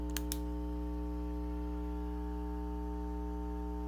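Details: Suspected 1972 Fender Silverface Bandmaster tube amp (transformer dated week 44 of 1971), turned up loud: steady low buzz with overtones, confirmed about 60 Hz on the scope, not 120 Hz, so filter caps are doubted; faulty normal-channel input jacks are suspected.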